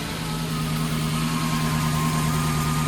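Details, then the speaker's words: Lexus SC400 with misfire, likely cylinder 7, shaking at stoplights, traction control light blinking: steady low idle with uneven beat and occasional deeper stumble from the exhaust; cylinder misfire. "You could kind of hear it, the misfire. Bugs. You can hear it from the exhaust too. It has like that deeper sound, like every now and then."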